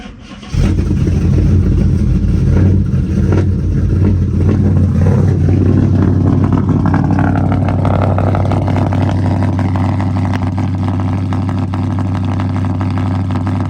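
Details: Dodge Charger SRT8 with 426 Hemi V8, at start-up while reading live data: catches quickly, revs briefly, then settles into a steady lumpy idle with an even beat, no misfires or blow-by; healthy running engine.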